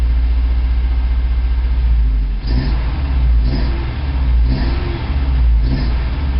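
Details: 1987 Toyota 4Runner, high-mileage reman engine, cold start first thing in the morning, clutch in, throttle blips: deep, lumpy idle stumbling about once a second with uneven surges, still misfiring after 3 minutes. Cause: cheap head gasket leaked coolant, cracking the aftermarket head and fouling plugs.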